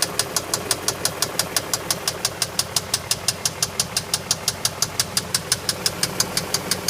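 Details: BMW X5 engine at idle with a sharp, very regular metallic knock about three times a second; the owner does not know the cause.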